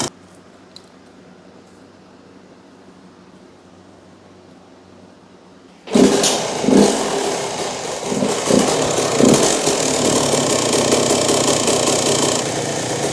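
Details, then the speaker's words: 2001 Yamaha YZ125 two-stroke fires up and settles into a crisp, even idle with no bog or stumbling after the pilot jet was dropped from a 25 to a 20; low-end bog cured, normal idle. "She is running prime now. Had to jump that pilot jet down from a 25 down to a 20, and now it's idling perfect. No more low end bog, none of that."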